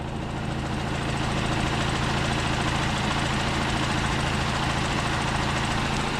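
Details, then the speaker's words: 2.0 TDI Audi A6 with 0B5 DSG, first start after dual-mass flywheel replacement, engine not yet warmed up: steady, even diesel idle with no knocking, rattle or shudder, and the earlier shaking is gone; normal idle. "also. The shaking is gone."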